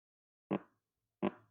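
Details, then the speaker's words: LG TV JF20E30KD with picture but no sound, sound IC input pin touched, 25 V supply present: two sharp speaker pops at each touch, faint low hum after; sound amplifier IC works. "Nah, ada suara sinyal keluar."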